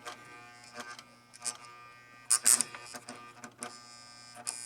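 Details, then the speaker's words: Gottlieb 1974 Big Shot pinball machine coil after cleaning and adjusting: steady buzz with sharp clicks; return spring pulling too hard makes it buzz, spring then extended slightly. "All right, I extended the spring a little bit. You can't tell. I didn't go crazy with it. But it was pulling a little too hard, people. Makes it buzz."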